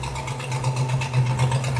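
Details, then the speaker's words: Chrysler 440 big-block V8 in a low-production British-built Italian-designed car at idle: deep, steady rumble with a faint sharp puffing chatter over it, the raspy edge of an exhaust manifold leak needing attention. "A little bit of an exhaust leak there. You gotta get that addressed. Just makes it sound more aggressive, that's all right."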